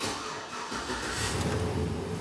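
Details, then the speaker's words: After the P0118 coolant temperature sensor high-input fault is repaired (coolant reads 113°F, intake 77°F, engine run earlier), the engine starts and idles steadily and quietly; check engine light is off and the cooling fan stays off, as it should. "La luz de check engine está apagada. El motor está en marcha y el ventilador de refrigeración está apagado."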